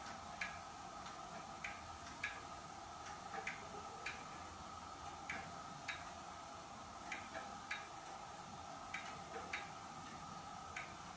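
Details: Hermle weight-driven grandfather clock movement on a homemade test stand (Ford F350 rotor-disc base, 2x4 post), just levelled, pendulum fitted: soft, crisp, roughly even ticks over quiet room hiss, no skipped beats; normal ticking, running in beat.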